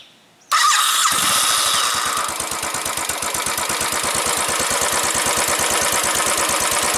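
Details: Start and idle after the dealership issues were resolved: the starter whirs, the engine catches within a second and settles into a crisp, even idle pulse, starting and running properly.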